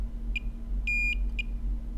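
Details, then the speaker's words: Dead iPhone 7 Plus logic board, multimeter beeping: several short beeps then a steady tone; after removing a shorted capacitor, VCC_MAIN diode-mode reading is about 327–332, so the short is cleared. "so we have solved a problem on this board we have found the cause of this VCC main short and we've relieved the short by getting rid of that cap which had become a wire"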